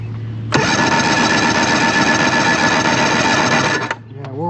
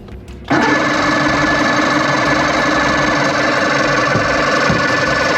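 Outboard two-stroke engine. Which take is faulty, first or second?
second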